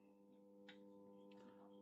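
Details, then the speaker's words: Vacuum tube radio on first power-up after cleaning, speaker connected as load: low steady mains hum buzz that doesn't change while tuning, no stations received; fault suspected between power amplifier and preamplifier stages, starting with replaced filter capacitors. "那我们从这个音箱中能听到交流声，是不是？"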